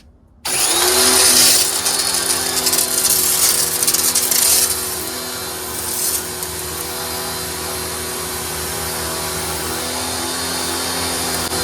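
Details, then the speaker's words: Wholesun WS 3000 1600W 1.58GPM electric pressure washer, first use after start-up pressurizing the line: loud rushing spray then steady even motor hum, no surging or knocking; pump runs normally. "There we go. It starts up like that a little bit, just so it pressurizes the whole line of water."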